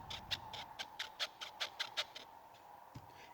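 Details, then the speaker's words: Toyota RAV4 around 2012, front suspension under load; rapid high squeaks about five a second from a strut mount whose inner cup has slight play, not heard with the car on the lift. Strut mount squeak. "здесь чашка стоит жестко здесь чуть-чуть плавает и это именно и является причиной скрипа"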